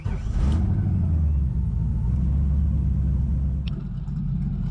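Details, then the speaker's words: Turbo LS-swapped Mazda RX7 FD with a light turbo cam and small lobe separation angle, idling with a deep, lumpy, choppy beat beyond what the cam should give; a misfire persisted after a coil swap, traced to the injectors. "all right guys so first things first you hear how choppy it is it sounds good admittedly but it shouldn't be that choppy"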